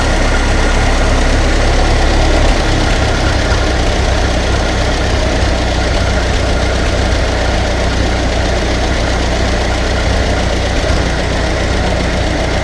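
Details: Ferguson TEA20 barn-find tractor on its first start after major engine work, with a new distributor condenser and some choke and throttle: loud, low rumbling tick-over with an uneven knocking beat. It idles, but the timing is clearly not yet set.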